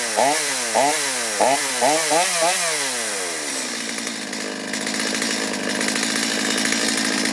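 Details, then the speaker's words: Stihl chainsaw, hard to restart after running and bogging on acceleration: revs stumble in uneven blips that sag, then hold rough and high after a carburetor adjustment attempt; it is fuel-starved and sucking air, with a gummed-up carburetor suspected. "Because it's not getting enough fuel, it's sucking a lot of air, which makes me think that the carburetor's probably gummed up."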